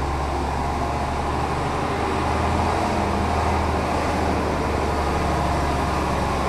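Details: Mercedes O302 coach of Autocares Cabranes, described as mechanically perfect: a deep, steady diesel drone with an even low pulse and no knocks or rattles. The engine runs cleanly.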